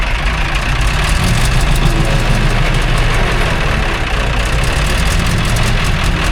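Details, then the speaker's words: 1960s military crane diesel, 81 original hours, long sitting, after acting starved for fuel: deep steady idle with even low rumble, no stumbling or surging; normal idle, a hydraulic leak remains. "Well, we got it running again, but we still got a leak going on down there."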